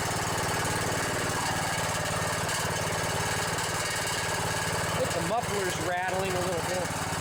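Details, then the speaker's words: Riding mower with a Briggs & Stratton Intek 17.5 hp OHV single-cylinder engine: a steady chug with a loose, buzzy metallic muffler rattle on every firing pulse; the engine otherwise sounds good. "bit yeah that rattle is some muffler well other than that muffler rattling sounds pretty good"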